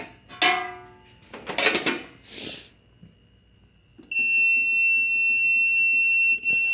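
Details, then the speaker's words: Keypad beep after handling noise: steady high-pitched tone about two and a half seconds when starting a three-minute cleaning run; owner considers adding a resistor to lower beeper voltage; normal keypad beep. "that was a little bit lower maybe I can go in there with the resistor and you know lower that voltage that beeper thingy"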